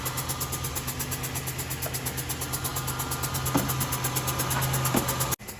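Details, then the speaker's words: 2007 Buick Rendezvous GM 3.5 engine idling with a rhythmic puffing hiss, compression escaping past a blown head gasket without typical symptoms; block test planned. "you hear the hissing it's more of like a compression seeping out or a blown out spark plug"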